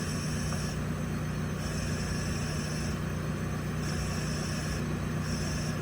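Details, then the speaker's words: Mercedes S550 S-Class engine health check, leak-down tester: mic at exhaust, steady hiss that swells and fades as thumb covers and uncovers the plug hole, air leaking past slightly leaking exhaust valves, enough to trigger a check engine light. "So that is the sound of the air changing whenever I'm blocking the hole and unblocking the hole. And there should be no air in the exhaust system because the exhaust valves are shut. They're supposed to be. So the exhaust valves are leaking, obviously slightly"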